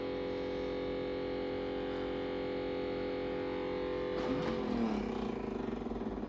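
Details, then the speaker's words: Refrigerator makes a steady, tonal hum with several stacked pitches that shifts and wavers after four seconds; an abnormal, annoying noise of unknown cause. "that sound is so annoying I don't know why it's doing that"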